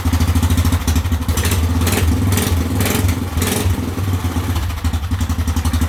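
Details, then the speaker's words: Whizzer motorbike single-cylinder engine, first run in a long while after a spark plug problem, testing new overdrive gear: steady even thumping with throttle blips, no knocks or misses, runs better than before. "well it's nice to hear it run again runs well too better than it did before when I uh last drove it"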